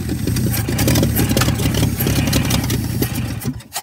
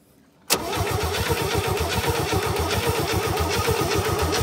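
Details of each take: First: 1967 Chevy C-10 that had sat for an unknown time, started with a little choke after a fresh pickup: cranks, catches and runs with a loose, lumpy low rumble for a few seconds before dying; fires up easily. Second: 1967 Chevy C-10 rescue project, cranked via remote starter: starter spins engine at a steady rhythmic churn for about six seconds without firing; no spark found, points suspected.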